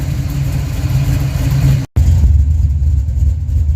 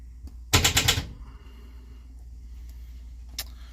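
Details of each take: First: Project car started after sitting for weeks, second attempt: deep, steady V8 burble holding a smooth, even idle with no misses or ticking; engine idling normally. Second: Project car after sitting for weeks, first start attempt: half-second burst of fast sharp clicks, then silence, with no cranking or firing; the starter is clicking instead of turning the engine.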